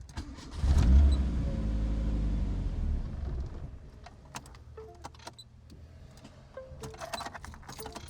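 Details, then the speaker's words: Built project car after base map adjustments and fuel pressure regulator changes, battery going flat: engine catches with a loud rumble, runs unevenly about two seconds, then dies; won't idle or run, like a very bad cold start. "Um, can't get the car to idle. Can't get it to run. It's like it's on a real bad cold start."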